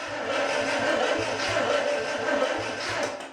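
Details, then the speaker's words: International 345 V8 after rebuild and reassembly, spark confirmed, no fuel yet, ignition off, battery possibly low: starter spins the engine freely with steady whirr and regular compression chuffs, no firing. "i'm not going to start this thing right now but i do want to just spin it over just to show that it works i'm not even going to turn it on i just want to turn the starter over"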